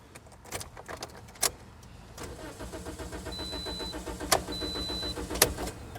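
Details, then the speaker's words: 2010 Toyota Corolla 1.8L, codes B2797 and B2799: quiet steady starter cranking with regular pulses, never fires; immobilizer rejects the old key while a new key starts it. "Now the engine doesn't start."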